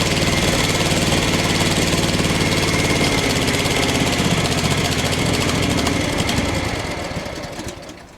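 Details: Craftsman FS 5500 lawn tractor, single-cylinder, after the breather was blown out: a loud, uneven chug that sags and dies after about six seconds. The owner says there is dirt in the carburetor and plans to clean it.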